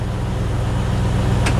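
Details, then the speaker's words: 1997 Land Rover Defender 90 four-speed automatic at idle, not yet warmed up, about 3 quarts refilled after a filter service, shifted from first back up to drive. Steady low rumble with one soft brief thump, no flare, slip or clunk; normal engagement. "neutral and we should hear it engage into reverse and park"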